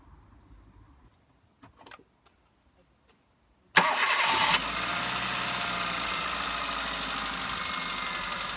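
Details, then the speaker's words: Hyundai Getz 1.1 GSI, 2008, after replacing original HT leads (cylinder 1 lead broken, causing misfire under load): cranks, catches quickly, steady even idle with no stumble or miss. "there we go nice and smooth let's give it a little bit of throttle and see if it misfires"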